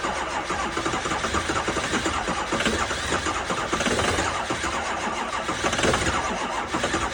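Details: 2005 6.0 diesel at 15°F in New York, first start of day: steady churning crank with no catch into idle; turns over but won't fire, cold no-start despite two batteries and a jump pack.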